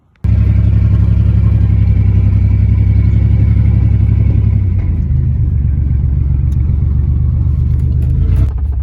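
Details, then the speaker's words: Turbocharged 4.3L 2001 GMC Sonoma under hard acceleration with custom turbo kit; a spark plug wire had popped off, so it likely ran on five cylinders: deep, lumpy, uneven exhaust rumble — misfire, one dead cylinder. "so I think in a lot of that video that you see here this thing's just uh running on five cylinders so it's pretty impressive"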